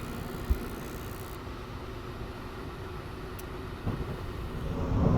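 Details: 5-ton York furnace unit after replacing draft inducer motor, ignition module and transformer, in rain: steady low inducer rumble then soft rising whoosh as burners light cleanly and evenly; normal burner ignition.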